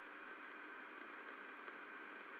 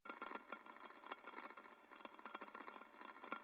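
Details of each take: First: Extruder heard through ultrasound inspection after repair: steady, even hiss with no impacting or rattle, after the missing bolt/nut was fitted to a loose plate that had been rattling. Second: Ultrasound inspection of an extruder: crackly hiss with irregular sharp clicks and rattles, impacting noise, not an air leak; traced to a loose plate on the extruder.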